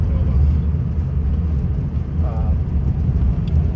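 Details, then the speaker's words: 1964 VW Beetle, 40 hp, 64K original miles, driving: shifting through third and fourth near 25 mph, low even drone with no whine or clunks; transmission nice, quiet and smooth, normal. "yeah transmission's just really nice and smooth car shifts great stops great idle's great just an absolute pleasure to drive"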